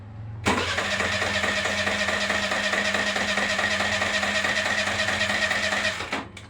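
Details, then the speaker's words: Suzuki Burgman Street 125 scooter with fuel gauge at 3 bars, started normally: engine catches on cranking but only runs with steady throttle held, a busy uneven run that never settles to idle; hard starting, no idle. "So wala siya. So kung papaandal nito, kailangan natin na revolusyonan para andal siya."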